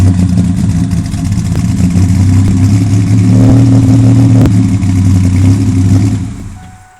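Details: 1997 Ford Ranger XLT 4.0 V6 with Flowmaster American Thunder dual exhaust, idling and revving with uneven, lumpy pulses and a stumbling beat instead of a smooth burble; an engine misfire.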